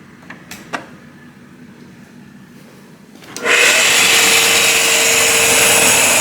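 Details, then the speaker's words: Ariston 8 kg Class A tumble dryer powered up: a couple of taps, then the motor spins up into a constant, increasing hissing rub with a faint steady tone; a worn motor bearing is suspected, needing motor removal and bearing replacement. "noise How something is rubbed a noise a prolonged sound six In my opinion it 's done now it's increasing In my opinion it comes from some bearing hear well confirmed eh bearing so the bearings need to be replaced"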